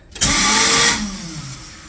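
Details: Car won't start, starter issue; harsh metallic grinding screech under a second then dies with no engine catching; owner hopes starter gear stripped, fears flywheel ring gear damage; not confirmed.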